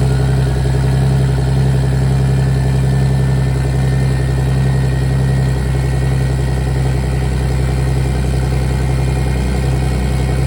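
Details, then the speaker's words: BMW E46 with turbo M52B28 swap, not started in a few days, cold start idle: loud, deep, steady lumpy exhaust pulse through open piping (no downpipe yet), no knocks or misses; healthy. "That is a true cold start on this baby, and it is loud."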